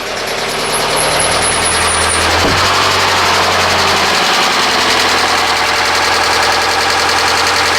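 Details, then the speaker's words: 2009 Subaru Forester running in park with an engine knock, dash warning lights on, knock lessens when dropped into gear: fast, fairly even ticking knock over a loud hissy idle; source undetermined. "let's go ahead start it up here and uh let you listen to it and uh it's gonna knock so oh hear that"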